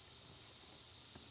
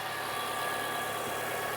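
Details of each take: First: Nissan Sentra with Evap leak and P0420 codes, engine off, fuel pump access open, mic near tank: faint, steady high-pitched hiss with fuel smell; evap leak at fuel pump sending unit O-ring seal, to be replaced. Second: So now let's start the engine. Let's see what we got. I got to step on the brake pedal. So as you can hear, the engine is running.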